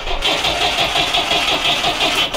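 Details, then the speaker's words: GAZ Volga M24 (Soviet, revived after years stored) cranking: even starter rhythm, compression present on all four cylinders, but it never catches; no fuel being delivered. "à l'oreille. En tout cas, il a compression sur les quatre."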